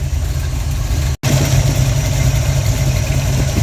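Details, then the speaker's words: Carbureted V8 project car after fixing carb leaks, lowering fuel pressure to about 3.5–4 and adjusting the idle circuit: a smooth, even idle with a deep steady burble and no black smoke, though it still smells rich. "I adjusted the idle circuit. It's idling the best it's idle. No more black smoke."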